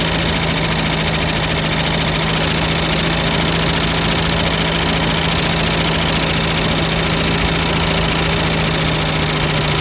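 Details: 1967 Lincoln, first start after reassembly with a new valve lifter: steady idle with light quick ticking about three or four a second as lifters pump back up; quieted later but a quieter lifter tick remains on driver's side.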